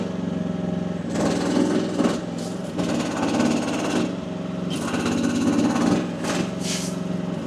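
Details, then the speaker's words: AGT WH12R 1-ton mini excavator, diesel at low rpm with hydraulic relief set to 2,700 psi while digging: engine drops and labours in heavy swells, nearly stalling; bogging under hydraulic load, pressure likely too high. "2,700 actually may be a little bit too high. May actually have to come back down. Let's find out. Hear that? Hear how it's wanting to die?"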